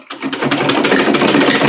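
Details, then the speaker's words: Old sewing machine running empty without thread clatters loudly and rapidly from worn, loose linkages underneath; it also fails to stitch or feed the cloth. "पहले दोस्तों देखिए मैं इसको खाली चलाता हूं तो कितना शोर ये मशीन करती है।"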